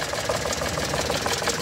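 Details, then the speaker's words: Mitsubishi Multicab drop side, 3G83 three-cylinder engine, low power complaint: rough lumpy idle with one firing pulse missing each cycle. Swapping the coil to No. 3 changed nothing; pulling No. 2 nearly stalls it while No. 3 gives no reaction. Dead-cylinder misfire on No. 3. "so ito yung number to mga sir Papakita ko sa inyo pag binunot natin Ayon Halos mamatay na isa pa"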